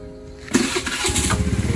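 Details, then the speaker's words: Motorcycle just after an oil change with Shell oil, kick-started (kickstarter unused almost 2 years): catches at half a second, revs quickly, then rpm drops normally into a steady, smooth idle with no knocks or misses. Normal start and idle. "Yan. So, kita nyo, nag-revolution kagad. Tapos, normal bumaba yung RPM niya. Tapos, ang smooth na ng andar."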